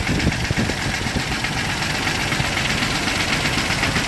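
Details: 1998 Jeep TJ Wrangler with a Summit 4.7L stroker, reportedly 50k miles, pistons replaced but not wrist pins: rough idle with an irregular metallic rattle about four raps a second. Owner suspects wrist pin or piston slap, unconfirmed.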